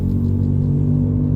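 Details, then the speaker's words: VW Jetta TDI accelerating to about 80 km/h after a corner: loud steady low droning rumble like heavy tire roar, resonating, from a burnt-out rear wheel bearing run about two months. "It gets so loud that you can't even hear yourself talk, and it's so painful on your ears. It sounds like a really loud tire roar, but it's definitely not a tire roar."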